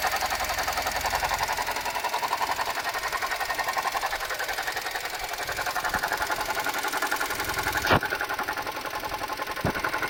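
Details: Suzuki Jimny JB64 at idle: fast, fine rattling tick about four per second with a faint high whine, from a faulty alternator, replaced under warranty with a new alternator.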